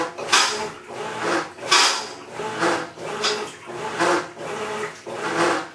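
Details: Maytag Centennial Commercial Technology washer, about 14 months old, overloaded for demo, during wash agitation: harsh gritty grinding surges every ~1.5 s with each agitator stroke, like a cement mixer churning gravel; cause unconfirmed.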